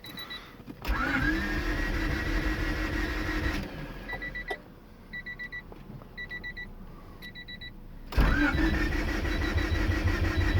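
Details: Honda Civic with H22A engine swap: starter spins the engine in two long bursts with an even churning beat and a faint whine, but it never catches; crank, no start.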